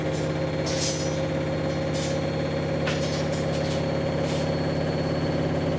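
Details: Samsung WW10N645RBW washing machine, first use after installation, leg adjusted to level it: steady motor hum and constant whir with light swishes during spin, no knocking or grinding; rated 73 dB spinning, slightly above conversation level; normal spin.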